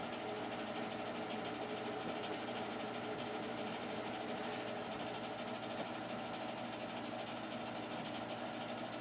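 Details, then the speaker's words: Newer boiler, only a few years old and vented out the side of the house, on its first start of the heating season in a cool house: low steady hum with a soft even whir, no knocking or rattles; a very quiet boiler running normally. "And we are running. This is a very quiet boiler."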